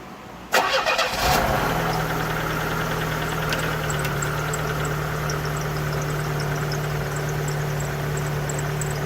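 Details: 1992 Pontiac Sunbird 2.0 inline-four after valve cover gasket replacement: catches after a brief crank and settles into a steady, even idle with a constant low hum and no knocks or misses.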